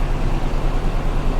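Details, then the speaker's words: Salvage-auction automatic: low, uneven rumble with an irregular stumble at idle. Running rough and misfiring on a cylinder. "A little rough."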